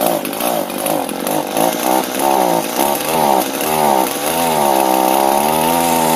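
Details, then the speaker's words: Echo gas trimmer, hard to start, running: two-stroke revs and wavers with a loose rattle from the lower shaft; the head doesn't turn, drive shaft rattling. "so it's definitely down here in the shaft that thing sounds like it's just rattling around in there that little uh drive shaft"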